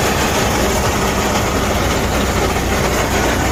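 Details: Freightliner Cascadia 10-speed transmission: loud, coarse, continuous grinding rumble over the running diesel, far rougher than normal gear noise; internal gear damage, transmission must be replaced and the truck not driven.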